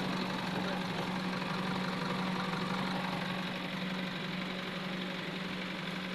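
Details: Diesel engine idles unevenly, its rhythm stumbling about twice a second instead of running smooth: a misfire, diagnosed with a diagnostic computer.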